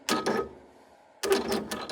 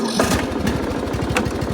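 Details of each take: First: John Deere L100 mower that hadn't run: after a silence the starter spins with an uneven, labored rhythm of about two beats a second and never catches properly. Hard starting; owner suspects it may need a new starter. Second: John Deere L100 17 hp riding mower, previously non-running with seized parts, now freed up: steady even thumping at fast idle with no misses or knocks; normal running, steering still tight.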